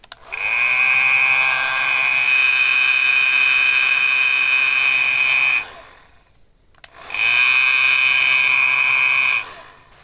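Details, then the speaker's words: Piercing high whine and harsh hiss from a running hair dryer, caused by hair wrapped around the fan; the fix is to open the casing, remove the hair and clean inside. "O ruído estranho do secador de cabelo simplesmente é cabelo enrolado na ventoinha do secador de cabelo."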